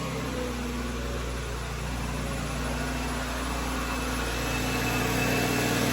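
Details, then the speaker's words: 2009 BMW 328i (3 Series) at idle: loud steady roar of the radiator fans running stuck at full speed because the electric water pump has failed, with stored codes for electric water pump shut-off and speed difference even though the check engine light is off. "fans are running at a full speed all right I'm going to shut this [Music] off"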